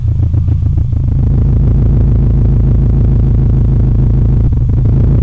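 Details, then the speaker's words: Subaru EJ-series engine with freshly built short block, two 5D cams, Robtune ECU, near operating temperature with about 60 psi oil pressure: deep steady idle with rhythmic lope; normal lumpy cam idle. "two 5d cams actually you can hear the lope on it but it starts it works"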